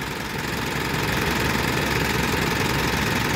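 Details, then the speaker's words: Mitsubishi Triton GLS diesel idling with check engine light on, after engine overhaul; rough idle with fast regular clatter about three to four per second; valve tappet noise. "Hanya saja ee suara si klep itu masih terdengar lumayan kasar ya, Teman-teman."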